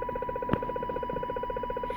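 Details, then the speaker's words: Loud pulsing RF interference on a CB radio, strongest on Channel 29 with splatter onto 28 and 30, coming from a neighbor's house: steady buzzing pulses about fifteen a second with a thin tone on top; origin unknown, possibly a plant grow light. "all right guys help me out here I'm close to a neighbor's house that's emitting this pretty loud sound a little bleed over on the 28 but it's really originating from 29 Channel 29."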